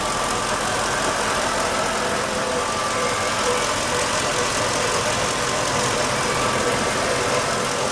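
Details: 2007 Ford F-150 5.4 3V after the ticking noise was fixed: even, steady idle with a smooth hum and no tapping or ticking anywhere; engine sounds healthy.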